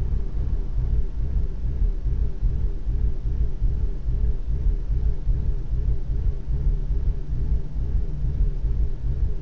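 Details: BMW Z4 petrol engine with rough idle: deep, uneven rumble and a faint, loping pulse about once a second.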